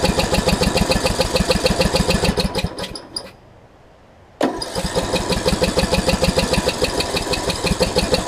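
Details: John Deere D110 after an engine rebuild, mock-up test with flywheel orientation corrected: steady fast cranking chug that never catches, a pause, then cranking again; low compression from a head gasket leak, head to be removed again.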